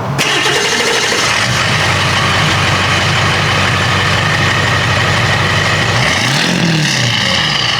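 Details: 7.3L Powerstroke diesel that had sat a long time, just fitted with 175cc/30% injectors and a Hydra chip with fresh oil and fuel filter: cranks, catches quickly and settles into a steady, even diesel clatter at idle with no misses or knocks.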